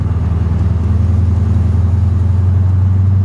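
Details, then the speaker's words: Mercedes CLK55 AMG with supercharged M113K V8 on first test drive after work: steady, loud low hum holding one deep pitch while cruising around 2500 rpm; exhaust drones glaringly through the cabin. "so cruising it around once you get to like 2500 rpm it's glaringly uh droney so we're just cruising it we're doing nothing special"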